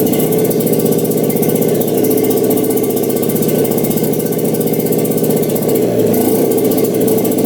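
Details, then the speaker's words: 1960s Hydro-Mite water-cooled mini jet boat engine after new spark plugs, restarted while adjusting the jet for idle, throttle cable not yet hooked up: steady, even beat at fast idle, no knocks or misses; running great. "oh yeah sure idle you said to get a throttle cable hooked up but it is running great"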